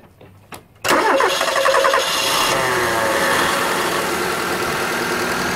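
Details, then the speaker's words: Car engine at idle and revved, headlights on to load the alternator, after adjusting the fan (alternator) belt tension: it catches and runs steadily with no squeal or chirp, and the belt no longer slips. Normal running. "we go so a bit of a REV oh that's excellent fantastic stuff so basically there's no more squeak there's no more slipping of that belt"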